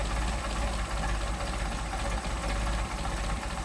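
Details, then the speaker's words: Mercedes 190SL with freshly rebuilt Solex carburetors during carb testing, idle deliberately lowered from about 475–500 rpm to about 400 rpm: slow, steady low-pitched idle with even pulses and a slight lumpy shake, not lugging. "all right, running 400. That's not too bad. So we don't lug the engine."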